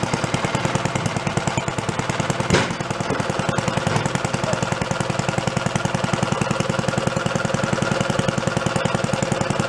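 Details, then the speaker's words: Antique Briggs & Stratton single-cylinder engine, about 80 years old, on a gas water pump that sat 50–60 years, now revived; throttle spring holds it below its original ~3,300 RPM setting. Steady, evenly spaced putts, slow, smooth and quiet: normal slow idle. "Going pretty slow. Gonna stay going. Good. It gets quiet."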